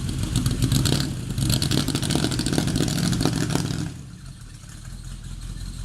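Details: Maserati 450S replica engine, which is also smoking: it revs hard but the note is ragged, with uneven cracks and stutters through the rise before dropping away. Misfiring under throttle.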